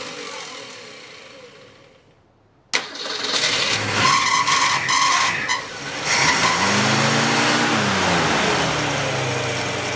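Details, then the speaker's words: Straight-six engine with an Autolite 1100 carburetor that has rough starts, seems to flood and may be leaking a little gas: it catches, surges, then holds a steady raised idle that never drops back, so the fast idle is not releasing. "okay so what you'll do is you'll hear the idle drop back down there we go you see it's not letting it it's not letting it move"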